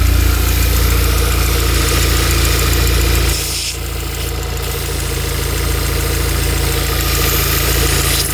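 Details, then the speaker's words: Stage 3 VW Golf R Mk7 after months standing, first start after fitting 980cc injectors and a new intake manifold: steady low engine note that holds even after a brief dip, no misfire or stumble; running well at idle. "so guys it is running well"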